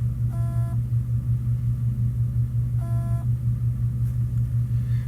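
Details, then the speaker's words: Seagate 500 GB desktop hard drive showing "no drive present," powered on an external dock; steady low buzz with faint chirps, never spins up or mounts, heads suspected stuck on the platter. "so this one here I'm going to turn it on you're going to hear a sound which in my experience this sounds like the head stuck so we're going to wind up opening up and finding out but I'm going to put that see if you can hear this it's like a buzzing"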